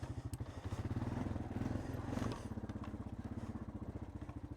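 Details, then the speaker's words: 2000 Honda Foreman 450 ES after reinstalling the engine: single-cylinder runs evenly at a low beat with slight top-end tick, normal Honda sound; the valves are in spec. "Honestly, that engine sounds pretty good for being, you know, for what it looked like on top. Might be a little bit ticky, but you know, normal Honda sounds."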